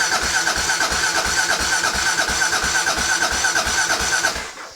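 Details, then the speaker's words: 1993 Kawasaki KLR650 after repairs, cranked with fuel off to prime oil: starter whir with even compression pulses about three per second, then stops; healthy cranking. "Let's see if that'll flow some oil through it. Get the oil primed. I'll try to do that before we really run it."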